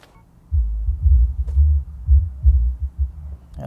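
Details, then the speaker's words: Toyota factory JBL radio with aftermarket powered subwoofer before the ACS-T02 amp controller: deep irregular bass thumps continue with volume at zero, subwoofer not synced to factory volume. "Yep, there's the bass even at 0 volume. I can't get enough of Leon right now. Nope. Subwoofer still makes that noise."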